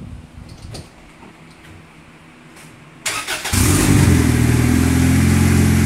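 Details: Honda Accord, first start after new clutch kit and rear main seal repair, transmission refilled; starter catches within half a second and settles into a smooth, steady idle, normal.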